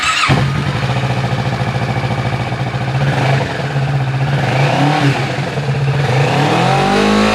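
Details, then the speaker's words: Kawasaki Ninja 650 parallel twin on stock exhaust, before Delkevic full header-back exhaust install: even throbbing idle, then blips climbing smoothly in pitch; clean, healthy stock note. "We're gonna be doing a before and after comparison. So this is what the bike sounds like beforehand with the stock exhaust."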